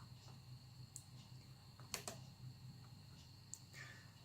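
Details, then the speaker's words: Sharp, irregular clicks over a quiet hum as the hard drive in a Dell Latitude CPi A-Series laptop grinds slowly through startup: an old drive seeking and struggling. "But I'm not used to hard drives taking that long and being that kind of clicky."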